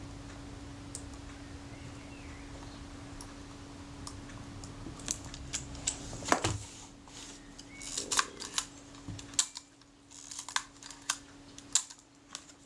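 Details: Kodak Retina IIIc camera after servicing and top cover refitted: crisp repeated shutter clicks, each followed by a clean advance stroke, over faint steady hum; shutter and advance work cleanly.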